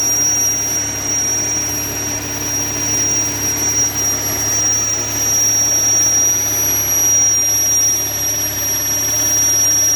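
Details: 2013 Audi S4 B8.5 with ported blower, started after that mod: steady piercing high whistle over an even idle, never changing pitch; vacuum leak suspected, not confirmed.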